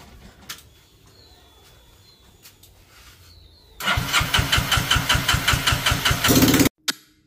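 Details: Engine with throttle body fuel injection converted to an aftermarket carburettor, misfiring on 20% ethanol petrol; suspected carb overflow and wiring mismatch. Starter churns steadily at about five pulses a second for nearly three seconds without catching: slow, reluctant start with long self-start time.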